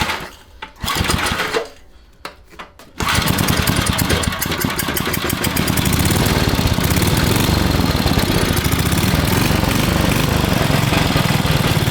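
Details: Vintage Briggs & Stratton generator engine for a 1970s mini chopper, bench-run before frame install to break in the crankshaft: a few pulls, then a fast, steady single-cylinder chatter at constant speed with no misses or knocks; normal running.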